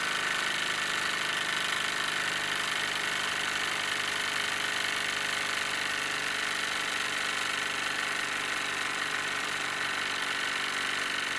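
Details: Wilesco D-18 tabletop steam engine running outdoors in a back garden after building pressure, throttle being turned down: fast, even chuffing hiss with a steady rhythm, no knocks or stumbles; normal smooth running.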